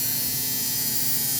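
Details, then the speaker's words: Old American Flyer AC Alco diesel motor converted to DC with an adaptor, run at around 6 volts: a continuous high buzzing hum, likely the armature touching the magnet; it showed stiction at start and later burned out. "Yeah, the humming, that noise is likely something going on in there. A little armature touching the magnet or something like that."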